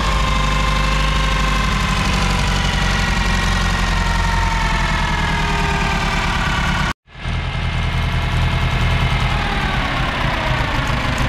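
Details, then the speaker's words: 1922 Bentley 3 litre OHC inline four with dual magnetos and twin SU carburettors, misfiring under load: lumpy idle with one cylinder dropping out, running on three; suspected fouled plug from rich running, possible shorted plug lead arcing. "differences in temperature it's definitely only hitting on three [Music] my thought just based on here it sounds like it's only run on three and i don't know if i just foul the plug because it seems like it's running pretty rich"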